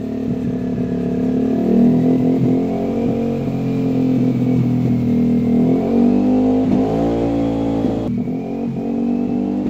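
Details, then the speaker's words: Yamaha NMAX/Aerox scooter with check-engine light on, just started: idles and revs unevenly with mild stumbling brebet; worsens after about 50 m of riding to bogging, popping and failing to move; fuel starvation suspected, to be scanned. "jadi motor ini penyakitnya nya itu ada cek engine ya dia cek enginenya hidup terus kalau dihidupin dia tuh bbet kita hidupin"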